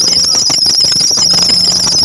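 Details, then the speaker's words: 2023 Suzuki Ertiga Hybrid, engine running: a loud, piercing squeal holding one high pitch, traced to the drive belt tensioner bearing assembly after the belt was removed and checked. "ung sa Mayer bearing sa tensioner an guys asemble yan so yan ang may problema guys"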